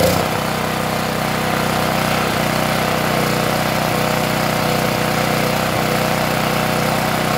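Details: Yamada GTX3350E 3300W generator with a 212cc gasoline engine, which would not start after long storage with a dirty carburetor; after carburetor cleaning and a new fuel hose, started on choke, it catches and settles into a steady, even idle with no misses.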